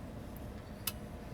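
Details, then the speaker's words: Pioneer SX-1050 receiver, first power-up on the bench without a dim bulb tester, before restoration: faint tick then one sharp relay click over low hum just after the inrush surge, protection relay expected next; normal relay click. "so you should hear that first relay click in almost instantaneously after the uh the initial surge current and then we should hear the protection kick-ins uh after that"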